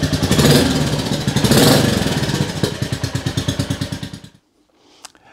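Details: Rebuilt 2022 Royal Enfield Classic 350, first start indoors: steady, even single-cylinder thump at fast idle, loud and a bit blatty through the silencer, then a clean shutoff; it starts and runs fine.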